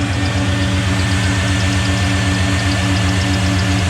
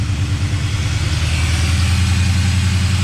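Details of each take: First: LS1 V8-swapped Nissan Patrol GU with exhaust leak fixed: steady even idle with smooth low rumble, no exhaust puffing; power steering pump squeaking a bit, water on pulleys from radiator washing; normal idle. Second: Nissan Patrol GU with an LS1 V8 swap, first start after reconnecting. It holds a steady, even but noticeably high idle with no knocks or misses, and the heat wrap is smoking.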